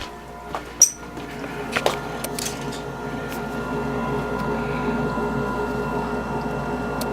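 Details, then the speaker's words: American Standard gas furnace called on from thermostat previously on emergency heat: clicks then steady hum building as the inducer motor ramps up ahead of hot surface igniter; normal furnace startup. "i just want to make sure the pump is on fire already here ramping up here's the"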